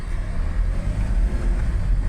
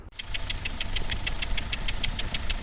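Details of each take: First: 2016 Hyundai Starex H1 2.5 CRDi D4CB diesel, automatic, rear-drive, test drive after timing and hydraulic lifter replacement for knock; steady low drone pulling evenly on throttle, no knocks or misses, responds pleasantly. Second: 2016 Hyundai Starex H1 2.5 CRDi D4CB 16-valve diesel at idle: sharp, ringing metallic ticks about six or seven a second; suspected hydraulic lifters or timing chain/tensioner, leading to chain and lifter replacement.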